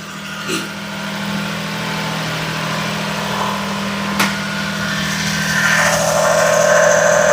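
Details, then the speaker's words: Daihatsu S210P mini truck engine after a new OEM camshaft and phaser, fresh spark plugs and two years out of service, 180 psi compression, alternator not connected: smooth steady idle, brief early clack, otherwise healthy. "She sounds great. She's running that 180 lbs compression. Man, this thing sounds good."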